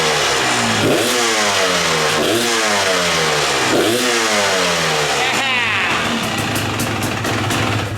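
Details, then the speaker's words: TPI two-stroke dirt bike rebuilt like an 18 300 motor, same piston and head: crisp blips up and drops back cleanly several times, pitch sweeping with throttle, no bogging; healthy revving. "let me start this thing up for you guys so you can hear it because it sounds so good"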